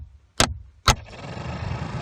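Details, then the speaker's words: 2005 Chevy Aveo heater blower motor at speed setting 3, heard from the passenger-side glove box: two sharp taps on the housing, then the fan spins up to a steady airy rush; motor has a dead spot, resistor is fine. "you can hear it turn on. And then you can come over and control the speed. As you can see, 2, 1, and so on. So we know it works. It's not the resistor, it's the motor that is bad."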